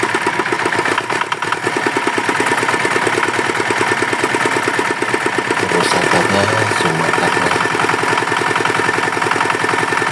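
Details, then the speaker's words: Yanmar DX tractor fitted with a Chinese single-cylinder diesel that reportedly seized from insufficient oil; after the bearing metal was replaced and oil refilled, it runs normally: steady, even beat of about three firings a second with no knock or rattle. "Oke ternyata mesin sudah normal bagus"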